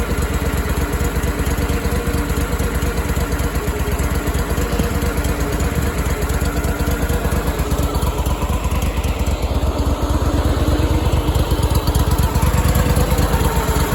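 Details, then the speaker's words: Power Trac PT-425 with Kohler 25 hp twin after oil leak and conversion kit fix, reassembled and fired: dense, steady beat at constant speed, no misses, knocks or surging; normal running. "Alright, it fired here just a little bit ago. A little stuff down there. It sounds good."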